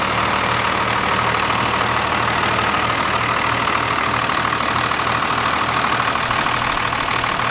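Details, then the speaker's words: First-gen 12-valve Cummins diesel after installing a pusher boost system with new couplings: steady, even idle clatter at about three pulses a second with no misses or knocks; sounds healthy and runs great. "he finished up that pusher system on the first gen, sorry, and sounds good. It definitely, it just sounds good. The truck always sounds good, but it just, it runs great."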